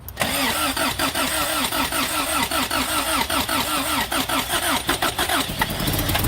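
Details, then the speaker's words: Third-gen Toyota pickup with no-start, fuel pump replaced, fuel misting from fitting needing tightening or copper washer: starter cranks briefly, engine catches and settles into steady even idle. "well that was short-lived but it started and i said that we were going to get it started in a few moments and we were successful"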